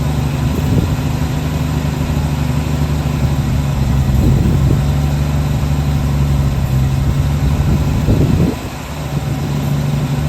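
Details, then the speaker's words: 1966 Chevrolet C10 shortbed six, last licensed 1979, revived farm truck: steady low rumble at idle, even and unaided with no misses or knocks; idling cleanly on its own. "sitting there idling on her own. That is awesome."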